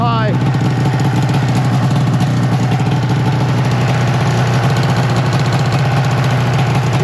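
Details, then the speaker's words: 2005 Arctic Cat Firecat F6 snowmobile, two-stroke, started after sitting, cold snow conditions: steady buzzy drone that won't settle to a slow idle, idling noticeably high; brakes not working. "It is idling a little high. As long as I don't let it idle, it'll be fine."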